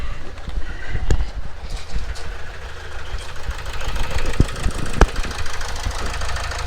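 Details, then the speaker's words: Renault Trafic diesel started from cold, service light flashing and glow plug light staying on: lumpy, uneven idle with irregular thumps and sharp knocks; owner suspects an injector, checking EGR valve first; rough idle. "and you can hear and you can see how rapid tidling and that to me it really sounds like an injector"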